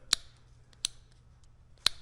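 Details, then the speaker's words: Suzuki Samurai electric locker, just wired to hot switch, chassis power and ground: sharp, crisp clicks with quiet between them, locker engaging cleanly as it should. "And then we now have a functioning locker. Let's see if we can hear it. I heard a little click."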